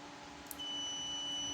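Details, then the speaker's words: Photocopier sensor (ER5000/Advance type) on a digital sensor tester: only a faint, thin beep and dim light, unlike a good sensor's loud beep and bright light; sensor not working, failing. "Nah, lampunya redup enggak terang dan ini pun enggak bekerja."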